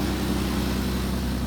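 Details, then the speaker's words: BMW E36 just after an oil and filter change, very cold on choke: smooth, steady, low idle with no clatter or tapping; the strange noises and knocking heard before are gone and it sounds healthy. "Là, elle est très froide. Starter, tout va bien."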